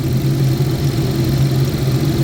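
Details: 2011 GMC Terrain with past P0341 cam code, warm after 20-mile drive; only P0420 remains, wiggle test on cam wiring shows nothing. Steady, evenly paced low drone, no dips or misfires; normal idle.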